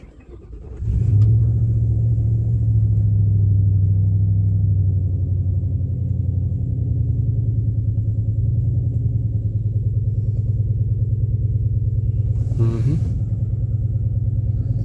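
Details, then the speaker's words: 2000 Mercury Grand Marquis just after a cold start, previously serviced at a shop, with the temperature gauge earlier flashing: low idle with an uneven, lumpy pulse about three beats a second; stumbling like a misfire, cause not confirmed. "Already stumbling like like misfiring. I don't know how well you can hear it, probably not very well"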